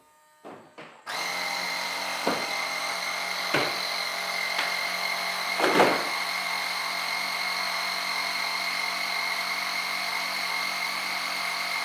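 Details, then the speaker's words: Onboard air compressor of a giant RC F-14 jet during a landing gear-up cycle: a few clicks, then a steady, high-pitched buzzing whine. Normal compressor operation. "We'll do a gear up cycle. Again, you'll hear the compressor turn on."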